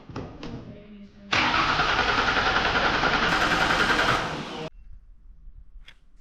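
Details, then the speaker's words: 2005 Ford Taurus wagon derby car late at night after heater hose work: starter cranks steadily but engine won't fire; cause found to be a bad fuel pump after running out of gas. "The car's not starting."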